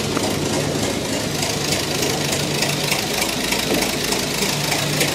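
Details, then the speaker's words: 109-year-old Ford Model T four-cylinder in cold snowy weather, on magneto: uneven lumpy idle firing with hissing background; runs rough cold, expected to smooth out once warmed. "let's switch it to Magneto she runs a little rough when she's cold bad but once it warms up it'll smooth out nicely"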